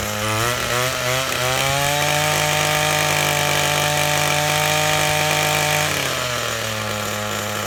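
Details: Old, worn Echo SRM-225 trimmer with replacement eBay carburetor, owner suspects low compression: small two-stroke revs up and settles to even high idle, no misses or stumbles; running fine.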